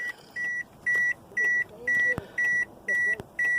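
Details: Truck that won't start, key on: repeating electronic chime while instrument cluster lights flash erratically, with no starter click or cranking; customer had replaced the starter and the old battery was bad; no crank, chimes only.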